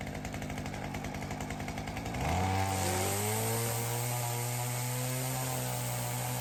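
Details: Ryobi CS30 two-stroke trimmer with new aftermarket HiPA carburettor; catches after a few pulls, revs cleanly and holds steady even high-pitched drone without surging, throaty; normal running.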